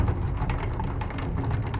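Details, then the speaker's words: Old rotating roof vent fan on a Vauxhall Movano campervan, turned by hand. It gives an uneven dry rattle and scattered clicks over a low rumble, and it rattles loudly when driving above 40–50 mph. The vent bearing is worn out. "The bearing is pretty much on its way out. And if I give it a little rotate, you can probably hear how bad it is."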